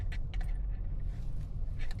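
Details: 2025 Hyundai Sonata, previously had main harness replaced: short tinny metallic rattles over low road rumble during slow-speed test drive over bumps; front-end rattle, likely loose, worn or broken components.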